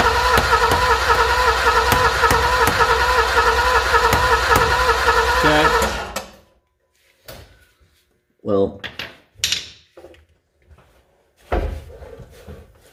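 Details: Alfa Romeo Milano (75) with fuel added, fuel pump not running: starter spins the engine evenly at about three and a half beats a second without catching; crank no start from no fuel delivery.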